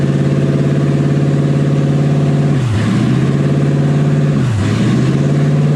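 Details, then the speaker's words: Toyota 1UZ V8 in a Ford Falcon, driving with new exhaust, warm at about 160°F, manifold wrap smoking; idle hangs high then twice dips and hunts back; cause of idle problem not yet known. "I don't know why idles like that. I need to figure that out. It's a little annoying,"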